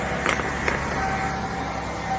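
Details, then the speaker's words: 1995 Ford F-150 after rear fuel pump replacement, running on the rear tank via tank selector: low, even engine hum holding steady with no stumbling or surging; running normally. "oh you got it on front I'm checking bu oh it started on the rear yeah oh cool"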